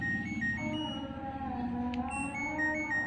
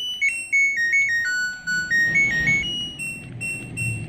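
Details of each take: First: LG Smart Inverter washing machine control module, bench-powered with 220V AC: the standby light is on, and pressing power plays the buzzer tune very faintly, with no display. Weak buzzer. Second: LG Smart Inverter washing machine control module, repaired for no-display fault, bench-powered at 220 V AC: display now works and loud clear stepped beep tune repeats cleanly; normal buzzer tone.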